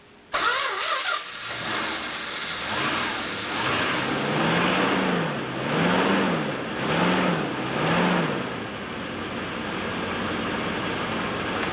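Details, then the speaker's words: 1973 Chrysler New Yorker Brougham V8, about 82,000 miles, cold start: brief fast whirring crank then engine catches and revs; harsh-sounding reduction-gear starter noise is normal for these Chryslers. "did you hear that somewhat painful noise from the starter motor it's because these Chryslers have a reduction gear starter motor to spin the engine extra fast so that noise is normal for these vehicles"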